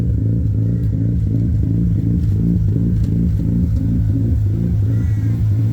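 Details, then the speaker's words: Mazda RX-8 rotary with tuned ECU, warming at fast idle around 83° coolant: rotary buzz with occasional slight exhaust pops, attributed to relearning short-term fuel trims after battery disconnect. "still a slight pop here and there"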